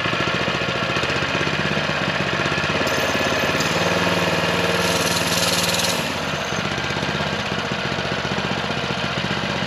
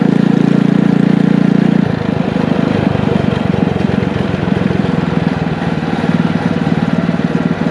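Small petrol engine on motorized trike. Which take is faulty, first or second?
first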